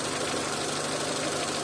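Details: Renault Clio 1.0 16v with intermittent no-start, idling during oscilloscope check of crank sensor after an original terminal was adjusted and cleaned, likely the fault: steady, even idle, no misses, knocks or stumbles; normal idle.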